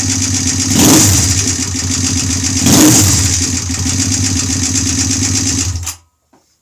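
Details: Freshly rebuilt Honda twin bobber engine at first startup on the stock OEM carburetor (twin carbs wouldn't work), needing break-in: steady lumpy idle with two short throttle blips returning cleanly; normal healthy idle, no oil leaks.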